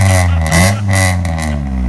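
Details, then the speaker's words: 2000 Honda Civic EX coupe, D16Y8 VTEC, 5-speed: loud raspy high-toned exhaust with sharp crackling pops after fitting an exhaust silencer, which only raised pitch and removed the low tone; crackle unchanged or louder, possibly from cat or hole. "so this didn't help at all like it did it made it higher pitched it got rid of the low tone but the cackling and all that stuff sounds exactly the same even louder almost the cackling part"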